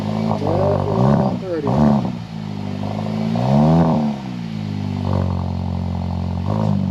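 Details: 2022 VW MK8 GTI, first start after installing ECS 4465030 non-valved catback exhaust: engine catches and revs with a deep, even drone, no rattles or metallic buzzing; exhaust sounds healthy.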